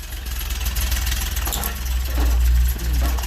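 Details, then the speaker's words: Small four-cylinder car (X1), base timing corrected, one injector unplugged, MAF hose connected: fires up into a steady, even thrum, picking up slightly with throttle; earlier no-start traced to insufficient base timing; normal running. "There we go. Ooh, that sounds nice. He's running."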